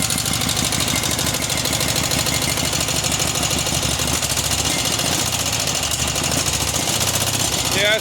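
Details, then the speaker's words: Cub Cadet 1811 M18 twin engine, previously hard to start and crank despite a new starter: runs loud and choppy with an irregular beat of roughly three per second; rough running needing carburettor work; block found cracked. "it needed car work it does so a little bit of carburation work but it's running so shut it off"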